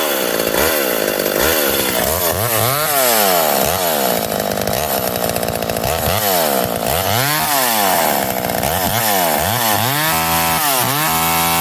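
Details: McCulloch Eager Beaver 2.0 chainsaw after rebuild, spark arrestor back on, probably warm, run to burn the gas out: crisp revs climbing and falling smoothly, clean throttle response without bogging; running properly.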